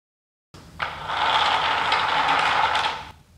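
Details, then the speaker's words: Homemade wooden flat thrust bearing with 5/8" ball bearings in a 5/8 core-box-cut trough, spaced by a hardboard cage, turning very smoothly: even rolling hiss, no clicks or catches; normal smooth bearing rotation. "a pretty good combination and turns very smoothly and the cage keeps these bearings from colliding with each other"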